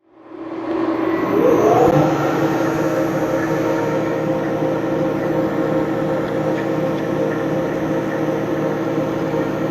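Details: RMT Pipe Spool Master TGB facing cut, tool fed lightly in X until contact: steady, even cutting whir with constant tone, no chatter or interruptions; smooth continuous cut indicates the vise is centered.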